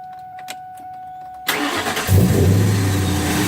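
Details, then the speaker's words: Manual-shift vehicle started by a new driver who kept holding the key after the engine fired: a rough grinding whirr from the still-engaged starter continues over the idle; starter held after engine started, a bad practice. "so there's another Learning lesson you've forgotten that as soon as the car starts you have to let off that starter right"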